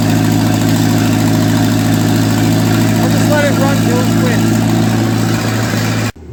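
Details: 1955 Ferguson TEA2085 tractor, an auction junkyard find that sat for years, started after oil reached the top end; steady, even low beat with no knock or miss. Compression readings include two kind of low, yet it runs cleanly.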